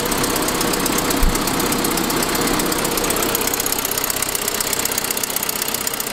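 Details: 2006 Saab 9-5 at idle: quick, sharp puffing ticking at about four per second that sounds lifter-like. It is an exhaust leak from a broken forwardmost exhaust manifold stud, which followed an earlier noisier turbo sound.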